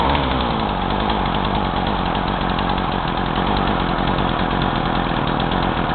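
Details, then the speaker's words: Craftsman two-stroke chainsaw, new fuel lines, carb just cleaned, roughly 40:1 mix, engine hot, no choke: buzzy note sags and drops in pitch on throttle though it does rev; bogging. "it starts and runs but it bogs a lot so like uh whenever i squeeze the throttle just box and but it does rev up"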